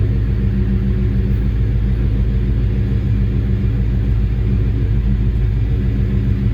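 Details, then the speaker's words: Coyote-swapped V8 that lost power above 2500 rpm, after replacing bank one (passenger side) O2 sensor: deep steady rumble, strong even note, no misfire or stumble; problem fixed, running cleanly. "i'm not gonna say it sounds like it's running better already because i was basically lying on the lab let's get this thing popping guys"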